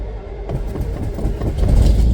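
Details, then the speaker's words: V8 fitted with a new DIY dual exhaust through the X frame, mufflers exiting both sides behind the rear end: catches after a short crank and settles into a deep, even burble, no puffing or ticking from pipes; some smoke expected from oils melting off. "there she goes I like the sound it sounds pretty good going to be some smoke um from oils melting off"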